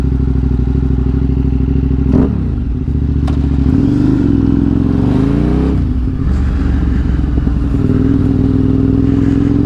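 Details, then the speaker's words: Normal running: KTM 950 SMR V-twin after carb sync and jetting (175 front/180 rear mains, 45 pilot, 2.5 mm float level, fuel screw 2.75, needle 4th from top); even, crisp pulse rising cleanly and settling with no stumble; owner thinks slightly more mixture screw may help deceleration. "runs great sounds very"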